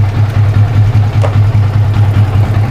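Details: Yamaha Vixion motorcycle after battery and regulator checks, with charging at about 14.2 V; error code 46 was caused by a weak battery: a steady, even low putter at idle with no misses, knocks or rattles.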